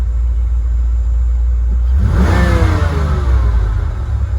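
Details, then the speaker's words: 1988–1993 Ford Mustang running an A3M1 mass airflow computer, in closed loop with no codes: steady low idle swells into one clean, smooth rev and settles back without breakup, then holds idle; normal rev response. "to rev up just fine. Holds idle."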